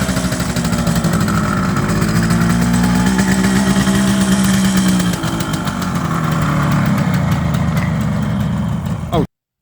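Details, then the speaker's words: 1978 Kawasaki KH400 two-stroke triple, first start after long storage: uneven, lumpy idle with stumbling beat and missing pulses, running on two cylinders; middle plug first suspected, traced to a blocked carburettor main jet. "so at this point we realized it's only running on two cylinders so some tinkering was needed"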